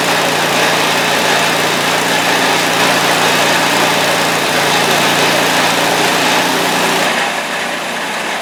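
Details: Scrap-heap snowblower after reassembly with a new choke: a small single-cylinder engine holds one steady, even buzz at fixed governed speed with no misses or knocks. It is running cleanly.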